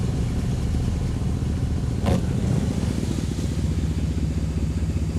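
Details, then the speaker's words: 1966 Plymouth Fury II 318 V8 after tune-up and fresh oil, previously died after running wonky: just fired, lopes unevenly with ragged stumbling beat instead of clean idle; rough running, cause unknown, owner wonders about fuel pump. "Well, she runs. She doesn't sound like she's running very well, though, guys. Ooh. She doesn't sound good at all."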